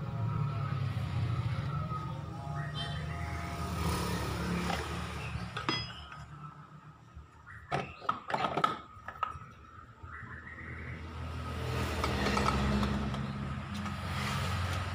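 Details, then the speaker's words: Honda Vario 125 CVT after cleaning and reassembly, test run: even low drive hum, no squeak or rhythmic clicking, one short clink midway; now smooth and quiet. "dengarkan suaranya ya sudah halus nggak ada suara kentongan"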